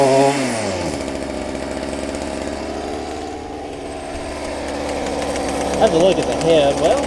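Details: Stihl FS45 two-stroke trimmer after carb, fuel line and filter replacement for bad diaphragms, carb not yet adjusted, cold outdoors; revs up and settles back cleanly with crisp even buzz, no stumbling; normal running.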